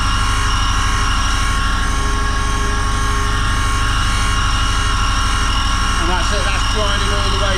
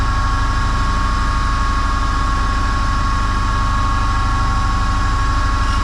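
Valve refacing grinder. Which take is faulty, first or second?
first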